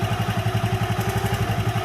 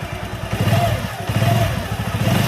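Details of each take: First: Honda Megapro motorcycle, warm engine, after fitting a new GL Pro CDI timing chain in place of the worn old one: even single-cylinder idle about nine beats a second with no chain rattle; healthy hot idle. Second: Honda Megapro single-cylinder bike after fitting a new GL Pro CDI timing chain, engine not yet warm: thin whine rising with each of about four revs. Owner says the whine will gradually disappear.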